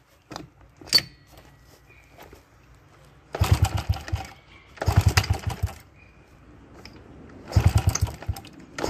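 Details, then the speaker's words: Honda XR70 bike, top end previously reassembled wrong by a former owner, before repair: noisy, hard starting, won't idle, poor throttle response, low power; catches in short ragged rev bursts then sags; bad cam chain roller and incorrect valve timing. "it's making a lot of engine noise it's also hard to start doesn't really want to idle and it also has poor throttle response and it's low on power"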